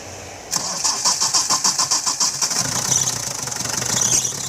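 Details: 2000 Hindustan Ambassador with Stride engine, former tourist taxi: starter cranks at roughly three turns a second, the engine fires and settles into an even idle with no knock; starts and runs healthy.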